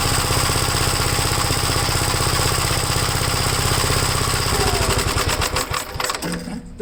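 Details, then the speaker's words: Gravely single-cylinder engine, first run after gas tank install and long idle, choke off: steady thumping about four beats a second turns ragged and uneven near the end; owner suspects throttle rod not tightened properly; some smoke, possibly from sitting or an oil leak. "I don't know what's going on with that maybe I didn't tighten up the throttle straight enough"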